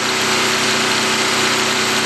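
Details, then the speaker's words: New portable camping generator on first run, with about 50% load applied, in rain: smooth steady high-pitched small-engine buzz holding constant speed without misses or surging; runs and produces power, normal. "all right let's shut it down that's enough for right now we've determined that it does run and produce power"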